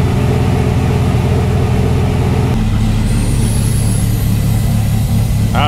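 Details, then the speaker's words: Dodge Ram 1500 SRT-10 Viper V10 after replacing the original accessory belt; deep, steady even idle rumble with no belt chirp or squeal. Normal idle. "but yeah no more squeaky squeak chirp chirp which is good so glad i finally got that old ass belt off there"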